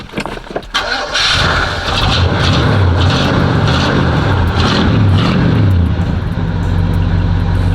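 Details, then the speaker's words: Oldsmobile Cutlass 307 V8 restart after stalling, shortly after a cold start, fresh from the mechanic: brief crank, then a lumpy, loping idle with a steady low rumble. It sounds like a slight cam; it starts and runs fine. "listen to that ground it sounds like you got a slight cam in it but you feel me"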